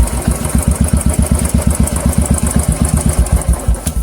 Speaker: दोस्तों आप देख सकते हैं यहाँ टिक टिक टिक टिक टिक एक साउंड कैट कर रहा है दोस्तों।